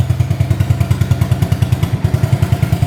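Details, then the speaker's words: 1985 Honda ATC200S three-wheeler, not run in over a year, now started with the choke off: quick, even single-cylinder thumping at three to four pulses per second, with no misses or clatter. The exhaust pipe is rusted out and loud. Normal, healthy idle. "You can hear the pipe really loud. It just kind of rusted out."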